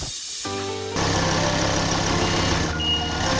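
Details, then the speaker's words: Ford Focus ST Mk2 225 after fitting RS Mk2 2.5 spark plugs regapped from 0.7 to 1.0 mm: catches after a brief crank and settles to a smooth, steady idle with no misfire; starts nicely. "right so started nicely nice and smooth engine"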